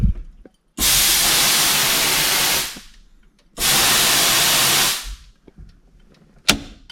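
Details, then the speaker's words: Nitrous Oxide Systems 125-shot Powershot plate system, purge solenoid probably about 20 years old, ignition on: two sharp two-second hissing blasts with clean cutoffs; purge solenoid opens and closes properly. "Okay, this is the fun part of the test. Testing the purge. Make sure all of the lines not leaking."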